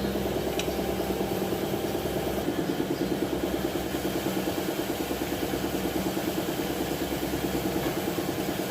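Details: Nissan Navarra diesel with engine misfire code P0304 (cylinder 4), idling with a lumpy, uneven beat, a stumble about three times a second over the clatter; one cylinder misfiring.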